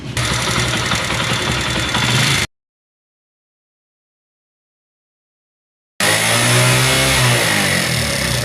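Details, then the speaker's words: Honda CD70 single-cylinder motorcycle, after timing chain and guides were replaced: busy, rattly top-end valve clatter because oil pump fault leaves no oil reaching the head/tappets; also overheating and stalling. "अभी हमने इसका टाम चैन और ल गोटे वगैरह सब change किए लेकिन उसके बावजूद ये आवाज कर रहा है आवाज करने की वजह ये है कि यहां ऊपर की तरफ ऑयल ही नहीं आ रहा"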